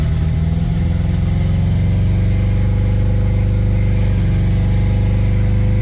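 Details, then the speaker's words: Acura Integra DA9 turbo project start-up with 1000cc injectors, three error codes: fast, steady drone well above normal idle that never drops; idle too high, sensors suspected. "Why is it idling so high, man? Uh sensors. I'm going to turn it off because that shit's idling way too high."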